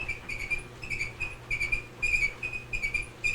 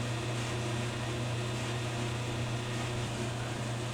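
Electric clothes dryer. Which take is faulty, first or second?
first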